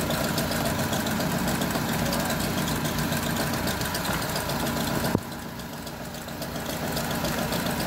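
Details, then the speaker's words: Honda with check-engine light, petrol idle: stumbling, uneven knocking beat instead of a smooth hum, one cylinder misfiring; ignition coil fault from a loose coil connector socket, smooth at 750 rpm after repair. "Okay sira yung isang ignition coil try muna natin to So pwede din kasing hindi na isaksak ng maayos to"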